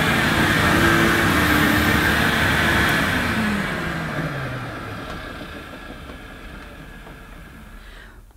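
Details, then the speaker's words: Electrolux 502 upright vacuum, about 40 years old, just unclogged and still needing a new belt, brushes and filters, on carpet; a steady motor roar with brush sweep, easing off evenly with no grinding: motor and agitator healthy. "at least the main things the motor and the agitator they sound fine so it's only going to need a bit of a spruce up to get this working almost like new"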